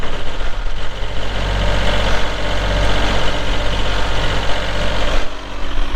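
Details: 2022 Kubota L3902 4WD gear-drive tractor with loader, 107 hours: even, steady diesel idle with a deep, smooth rumble and no knocks, misses or rattles; healthy engine after a cold start.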